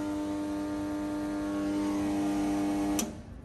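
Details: Snap-on 60 A 12 V battery charger, about 20 years old, after timer switch repair, running on low with no load (10 V output): steady even buzz at one pitch, cutting off at switch-off; typical transformer hum, cause not confirmed.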